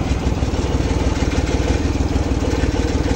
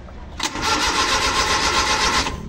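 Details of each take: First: Rusco Multicab, hard morning starting after two carburettor overhauls, now with a whole new carburettor fitted: smooth, even idle with a steady low beat and no stumbling or misfire before shutoff; normal idle. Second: Rusco multicab, hard starting in the morning despite two carburetor top overhauls, ignition spark present: steady starter churning about two seconds, never catches; hard starting from leaking carburetor accelerator pump diaphragm.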